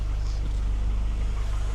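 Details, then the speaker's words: Long-abandoned Mercedes W124 220E, after freeing a sticking throttle linkage: low, even rumble idling steady at about 750 RPM, no hunting or misses; normal idle. "I just had a little bit of a fetal and now it's idling at about 750 RPM."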